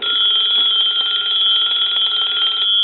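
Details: Touch Tone Brass Majesty telephone on the bench during repair, ring cycle tested with the bell lying downside under the network: steady, fast bell ring for about three seconds, slightly muffled but even and strong. Ringer working normally.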